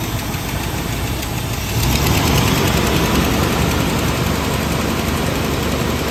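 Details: Dodge D150 truck fired up after the water pump was replaced and everything hooked back up; the engine catches and settles into a steady, even idle with a low rumble, no knocks or squeals, and sounds healthy.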